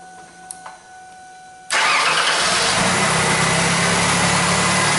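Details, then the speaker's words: Mercury Sable after fuel pump replacement for intermittent no-start with no fuel pressure and high pump current: quick crank, catches at once into a smooth even idle; pump draws 3.9 A at 36–38 psi, fixed. "Drawing about 3.9 amps on our normal idling conditions, 36 psi, 38, right around there. And I believe we got ourselves a fix, guys."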